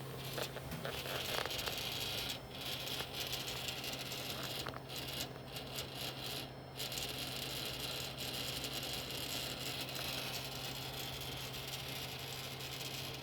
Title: CW-5200 Chiller making rattling noises